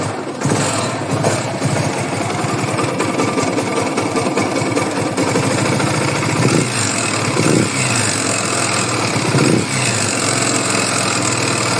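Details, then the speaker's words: Yamaha YBR/XTZ single with a rebuilt top end and new cam chain. A fast light knock comes at mid revs under light load, riding or at idle, but not under hard load. Slight play was found in the cam bearing. "o ele é causado em meio giro médio giro no momento em que o motor dá aquela que o motor fica mais Livian trabalhando tá tanto no andando quanto bem na lenta não em giro forçado também não é quando o motor dava um ficava mais liviano vinha o barulho"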